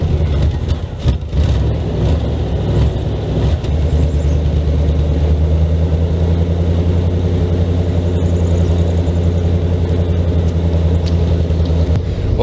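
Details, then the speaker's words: 1979 Camaro, sitting for months: catches on second crank after a short stumble, then a steady deep even idle with no knocks or misses; normal idle after cold start. "i'm super happy to say the camaro fired up on only its second crank this thing's a champ it's been sitting for months"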